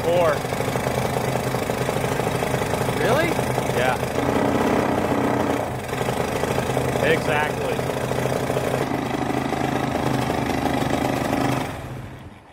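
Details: Honda XL185 that sat in a barn over 20 years, with good spark, compression and timing, started at full throttle: lumpy single-cylinder idle with uneven, wet beats three to four a second that never settle. Rich running.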